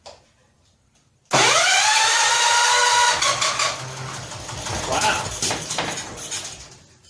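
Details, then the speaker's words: 1970 John Deere 140 H3 barn-find tractor, first cold start after long storage with choke and oil leaking from the head gasket: loud clattery roar then uneven rattly idle; suspected blown head gasket or loose head, unconfirmed. "Wow I wonder if it heads even tight let's run around it with a ratchet making all kinds of racket"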